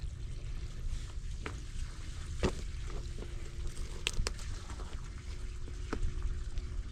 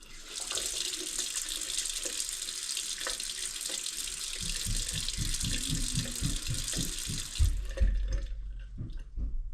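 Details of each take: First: Farmhouse well pump at wellhead, air in lines making plumbing sputter, filter just blown out: low steady rumble with gurgling, trickling water and faint hum; owner suspects the pump is sucking air. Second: Farmhouse faucet after well pump flow was restricted to 7 gallons a minute to stop air in lines: steady even rush of water with no spitting or air bursts; no more sputtering, flow normal.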